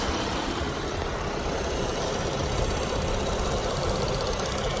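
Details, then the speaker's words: 2015 Chevrolet Impala, about 66,000 miles, before Sea Foam intake treatment; even idle with a faint light ticking riding on it, cause not determined; after treatment it later sounded quieter at cold start: engine ticking at idle. "can hear there's a little bit of clicking it's got some miles on it so we're gonna treat it and see if it makes a difference"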